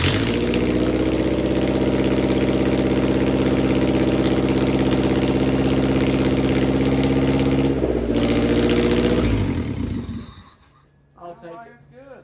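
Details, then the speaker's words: Enduro race car engine, newly installed and first started, not fully hooked up, open headers without exhaust manifold bolts: loud, steady, even idle with no knocks or ticks before shutdown; runs healthy. "yeah it sounds good I don't hear no knocks or no ticks or not okay I'm happy with that"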